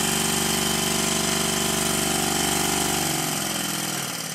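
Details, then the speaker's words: Stuart 10V steam engine on compressed air after shimming the high crankshaft bearing: steady, even chuffing at about 200 beats a minute, easing off at the end; knocking all but gone, bolts not yet fully tightened. "the knocking has all but disappeared I will however need to make a very fine adjustment as both of the bolts are not fully tightened"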